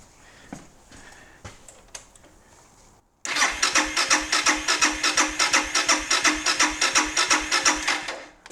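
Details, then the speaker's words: 2017 Suzuki DR650 starter cranking after greasing the starter motor to cure an occasional squawk, fuel tank off so not started: clean, even cranking at about three compression pulses a second, no squawk or grind; normal. "that sounds pretty damn good. I'd call that a success."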